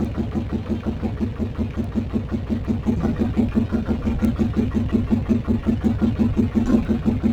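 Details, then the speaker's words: 1981-83 Yamaha Virago bobber after fitting larger carb jets, on center stand level: idle lopes rising and falling about three pulses a second before the pilot air-fuel mixture screw is tuned. "you'll probably hear the motor loping and then as i tune in i'll find the sweet spot on the air fuel"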